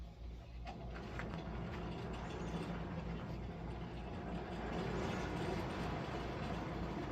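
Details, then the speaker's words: Farmall H tractor stuck in first gear, driven around the yard: steady low drone with a dull, grinding groan underneath; gearbox running dry of oil. "Yeah, that gearbox, man. I should be a country singer when I'm sick. But that gearbox sounded really groy."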